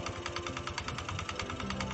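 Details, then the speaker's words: Automatic scooter during DIY CVT service, cleaned and greased, started with the drive cover open: a fast, even rattling clatter about ten beats a second over the running engine; the drive belt seems loose, and the suspected fault needs disassembly that was not done. "sepertinya kendor dan suaranya juga Hai seperti gemeretak ini sebenarnya harus dibongkar tapi Karena berhubung tidak punya alat untuk membongkar pas bagian vanbell ya"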